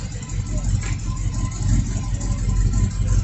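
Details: C10 truck with LS 5.3 swap, 4L60E, no cam, Flowmaster muffler, drive-by-wire: deep lumpy V8 rumble at idle, steady with no knocks or ticks; healthy normal idle.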